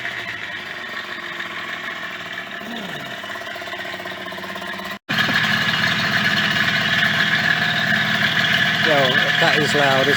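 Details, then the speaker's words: Yamaha DT50MX two-stroke, restarted after about a year sitting: loud buzzy running with fast, fairly regular rattle about three per second; owner suspects cheap main/big-end bearings wobbling, unconfirmed, and notes exhaust lacks a baffle. "there's something like the name and bearing wobbling around i haven't used cheap ones"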